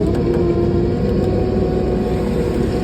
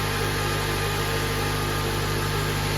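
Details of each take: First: 2007 Honda Accord, K24 engine, manual transmission, idling before clutch replacement: steady whirring, ringing hum over the running note from a bad clutch throwout bearing, later found to be the real issue. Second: 2007 Honda Accord, K24 engine, manual, idling after clutch and throwout bearing replacement: steady, even idle with no whir, chirp or rumble from the bellhousing; the earlier bearing noise is gone; healthy.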